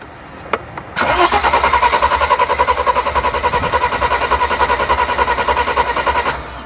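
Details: 1991 Mercedes 300SL with a no-start problem: the starter cranks at about 3.5 even pulses a second for five seconds without catching. Cranks, no start.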